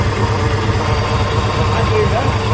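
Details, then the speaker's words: 1996 Jeep Grand Cherokee 5.2 V8, second cold start at idle after replacing IAC valve and crank sensor and removing the catalytic converter: uneven idle with a recurring stumble, still misfiring; fuel pressure erratic. "still sounds like it has that misfire though still sounds like it has that misfire"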